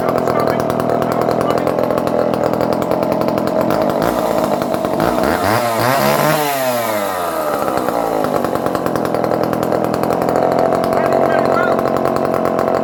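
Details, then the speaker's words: Circa-1970 barn-find Dolmar 118 Super chainsaw, cold started with choke after a few pulls: high buzzy two-stroke scream dipping and recovering once mid-clip, then steady; runs well and oils, idle somewhat rough. "Okay, it's a couple of pulls and it's running already. So I think that we get the spark."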